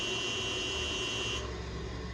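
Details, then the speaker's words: Haas VF-3 retrofit VFD-driven motor with a loud, steady high-pitched whine over a low hum that cuts off abruptly; the factory setting was 50 Hz, and the base frequency setting is being blamed; motor whine. "See, the whining on that motor, they're making some noise, and I'll show you why they're making that much noise in 1 second right now."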